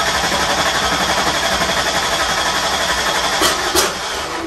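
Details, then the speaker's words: 1994 Mustang 5.0 V8, triple turbo, Holley Terminator X swap: steady cranking about three turns a second with weak scattered firing, fuel smell, won't catch. Owner suspects timing off, dual sync distributor possibly installed 180° out at TDC; crank no start. "But because that's kind of what it sounds like. Like timing's off, it's not really firing right."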